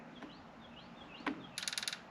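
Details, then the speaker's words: Turbo Silverado, engine not running, injector output test run from the tuning software with the fuel pump output on: a quick, even burst of sharp injector clicks, about six in a third of a second, showing the injectors fire normally. "injectors are clicking so that's how that works pretty awesome"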